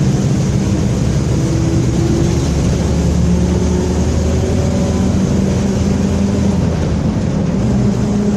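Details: Onboard a Torino 2014 bus on a Mercedes-Benz OF-1721 BlueTec 5 chassis, recorded 2022, cruising: a low droning tone over road rumble that drifts with road speed. Suspected roaring rear differential.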